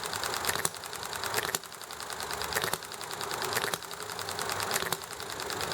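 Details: Enjomor hit-and-miss model engine over heavy background highway, traffic and chatting noise: a sharp firing pop roughly every second with coasting between shots. It is running normally and nicely.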